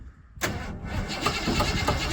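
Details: Project car with a carburetor and choke, sitting for a long time with gunk in the carb and possibly low on gas: the starter cranks the engine in a steady rhythm but it never catches. Cause suspected, not confirmed. Cranks but does not start.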